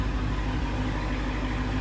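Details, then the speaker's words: Copart-rebuilt Hellcat after engine work (crank, rod and main bearing found damaged), plugs refitted and oil refilled: a deep, lumpy, uneven idle with the check engine light on and multiple misfire codes. The cause is unknown. "engine light came on and multiple soon or misfire so don't know what's going on still trying to figure this thing out"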